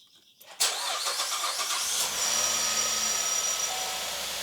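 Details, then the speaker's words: 2011 Cadillac SRX, LF1 3.0, after new spark plugs and coil packs; cranks briefly, catches cleanly and settles into a steady, even idle with no misses. "Alright, that sounds good."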